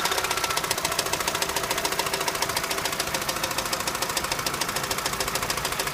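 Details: 2006 Opel Astra H with Z16XEP engine at 170,000 km at idle: an even, sharp ticking knock at about three and a half beats a second from inside the engine. A shop suspects the intake manifold and TWINPORT flaps; unconfirmed.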